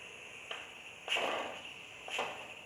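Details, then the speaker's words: Pressure cooker on reheated flame, temperature sensor fitted through the lid: constant thin hiss with spurts about once a second as trapped steam leaks past the improvised seal around the sensor while temperature rises past 98 to 102 degrees. "Tá escutando esse barulhinho? Esse barulhinho é o excesso de vapor que está preso lá dentro começando a vazar. Ele está vazando aqui por onde eu fiz a vedação, né?"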